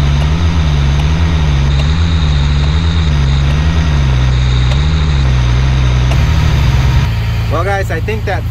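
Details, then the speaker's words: Military LMTV truck idling with the CTIS tire inflation system after troubleshooting: steady hum, returns to highway pressure repeatedly, quick-release valve no longer fighting the wheel valve or chattering; normal tire inflation system operation. "it the truck has done its checks about six times now and it keeps going back to the normal highway pressure not the run flat and i don't hear that quick release valve uh fighting with the wheel valve anymore"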